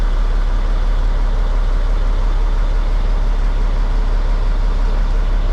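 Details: 1998 International 4700 DT466e diesel after oil and filter change: steady, even low idle with no knocks, misses or rattles; runs smoothly and sounds good, normal diesel idle.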